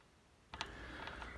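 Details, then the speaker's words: Old Carlton fixie: a short dry creak with sharp ticks each time the handlebars move slightly, traced to the quill handlebar stem/headset area; fixed by stripping, cleaning, lubricating and reassembling the stem. "if you listen carefully you'll hear the creaking which i'm talking about you can see every time i move the handlebars a little bit it"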